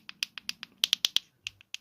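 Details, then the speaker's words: Ford C-Max 2007–2010 three-button remote key fob, reassembled after battery rebuild: crisp, sharp clicks, about a dozen in two seconds, each press snapping cleanly; buttons work normally. "Tells me it all works. Right, what we'll do is put that back on there, like that, and there's your buttons clicking."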